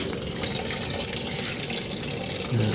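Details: Sharp top-loading single-tub washing machine that kept filling after program ended, after fixing faulty triac on control module (not the inlet solenoid): steady water rush with even hiss, no chatter or buzzing; inlet now controlled, normal fill.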